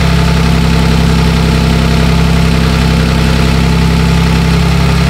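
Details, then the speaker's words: 2007 Toyota Sienna 3.3 with P0340 code and a history of extremely long cranking, idling after the camshaft sensor was tightened down: smooth, even low hum with no misses or hunting; normal idle. "I tighten it down and the sucker's still working"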